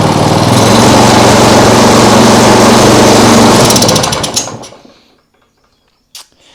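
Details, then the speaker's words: Small single-cylinder lawnmower engine on an outboard rig: runs hard and even a few seconds, then falls on its face and dies under throttle; shakes a lot, owner wonders about a bent crank, cause unknown. "Why does it fall on its face? Strange."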